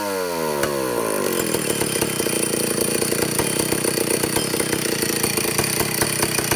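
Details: Vintage Stihl chainsaw (051/075/076, spec 9,000–10,000 RPM) after air-leak and fuel-system repair, high-speed needle tuning aiming for 3/4–1 turn open; peaks about 9,400 RPM. Revs up quickly, holds clean steady high scream without bogging or four-stroking; carburetor set right.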